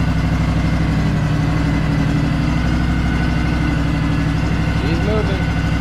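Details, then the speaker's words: Craftsman DLT3000 lawn tractor with factory Honda 16.5 hp engine, free no-start machine, started on choke: even, steady, quiet idle with no misses, knocks or hunting; normal idle, may still need carb cleaning. "that is incredible it's running really smooth too it's super quiet"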